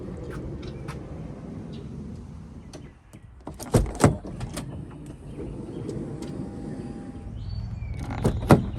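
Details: 2012 Honda Odyssey Touring Elite power sliding door after the opening pop was fixed by servicing, with no motors replaced: soft motor hum, clean latch clicks and a firm close, with no popping or grinding. Normal operation.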